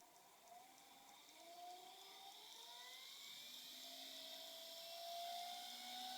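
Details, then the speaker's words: Generic 300 W Chinese ER11 spindle (ShapeOko CNC candidate, unmounted) ramping from low to high speed: thin, high whine climbing smoothly, much quieter than the DeWalt DW660, no grinding; healthy spindle. "wow so obviously the chinese spindle is much much quieter"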